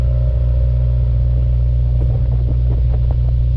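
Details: 2015 Subaru WRX after spark plug replacement at 50,000 miles, plugs gapped to 0.032 and torqued to spec: steady, even boxer rumble with a smooth idle and no ticking or stumble. Running normally.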